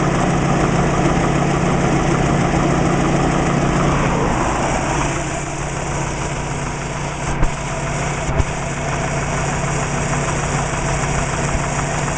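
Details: Subaru Legacy with WRX engine at steady idle: fast, somewhat uneven light knock around three or four a second over the engine; owner suspects piston slap, not confirmed.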